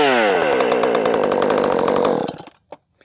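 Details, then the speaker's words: Jonsered 2258 chainsaw build with previous heat-soak hot-start problems, restarted after a hard workout and five or six minutes' rest at about 78–80°F: catches hot and runs high, even revs for about two seconds; hot start now fine. "gave it a good workout and it sat there and rested for what's it been five or six minutes plenty of time for all that heat to soak back into your carb"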